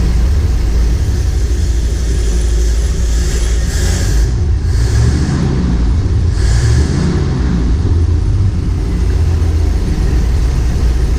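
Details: M37 Dodge after carburetor refresh and new accelerator pump: deep steady rumble, picks up cleanly on throttle blips with no stumble or backfire; normal running.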